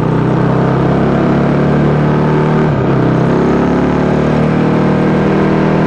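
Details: Yamaha YZ450 single in supermono race bike, high revs: steady note stumbles once near three seconds; intermittent misfire, worse after a couple of laps; carb, fuel tank, filter, breathers, ignition, coil, generator changed without cure.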